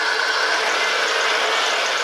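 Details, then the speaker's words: Dodge Caravan 3.0, first cold start after replacing the hydraulic lifters (5–6 lifters used to tick at startup): a smooth even idle with no ticking, only a faint belt squeak. It is running normally. "Wow, what a difference. Typically when I would first start it up, you'd hear about 5 or 6 lifters ticking away. Wow, that made a difference."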